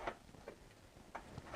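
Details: BMW E46 M54 engine rebuild: a loose connecting rod rocked on a flat surface gives a few sharp light taps, about four in two seconds, consistently toward one side, pointing to a bent rod.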